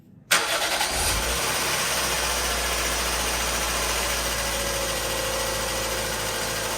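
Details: Mazda 121 1.3 Endura-E after oil and spark plug service: quick catch on the starter, then even steady idle with no knocks or misses; engine running healthy.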